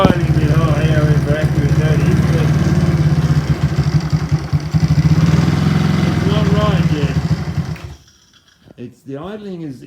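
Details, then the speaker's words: Supercharged NOS postie bike single-cylinder, blower pulley changed from 3:1 to 4:1, flat-slide carburettor: idle rises and falls unevenly, hunting; owner unsure, suspects tight build dragging on everything. "is not quite right yet I don't know why that surges like that it could be that this is a tight you know just just drag on everything so it's struggling to do what it's doing"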